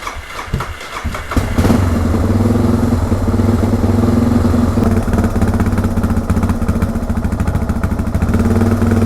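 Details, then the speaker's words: Suzuki DR650 single-cylinder with performance mods, warm, idling with no throttle; steady thump that seems to drift up and down, a slightly jumpy hunting idle. "The idle alone kind of sort of sounds like it might be jumping a little."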